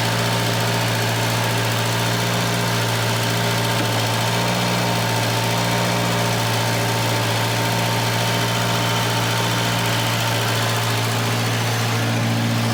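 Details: Volvo 240 just started cold, idling loud with a raw, open puffing note near the engine: a bad exhaust leak, sounding almost like an open downpipe.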